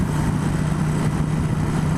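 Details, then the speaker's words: 1996 Suzuki VS1400 Intruder at highway speed, around 60 and beyond, with heavy vibration: steady low-pitched whine over the engine drone; cause unclear. "I don't know if you guys can hear that. Some interesting noises this bike is making."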